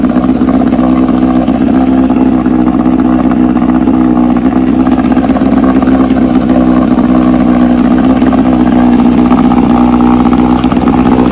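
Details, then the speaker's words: 1968 Johnson 9.5 HP two-stroke outboard at fast idle in test barrel after universal pulse fuel pump upgrade replacing a dead-diaphragm pump: steady even buzz, no misses or knocks; runs smooth. "Give her a little start here. mean, she runs good, really good."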